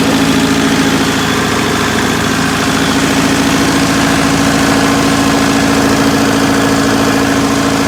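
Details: Circa 1980–81 Bobcat 843 with a Perkins diesel (4.152/153/154), injectors rebuilt to crack at 2200, electric fuel pump replacing the mechanical one: loud idle with a hard, shaky knock about three times a second. It fires on all cylinders with even exhaust temps, but the cause of the rough running is not found.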